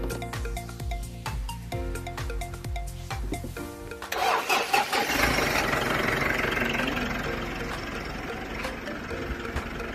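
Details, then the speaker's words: Mitsubishi Triton diesel that would not start (probably lost one power circuit), after fuse replacement: starts and settles into steady even idle, no misses or knocks. "นะครับตอนนี้นะครับเครื่องยนต์ติดได้ปกติครับผม"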